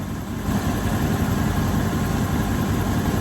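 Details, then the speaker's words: 1984 GMC Sierra Classic after the new alternator belt is tightened: catches quickly and settles into a steady low idle with no belt squeal or chirp over the rumble; normal idle. "Let's fire it up and see if it'll squeal. What? There we go. Fires right up."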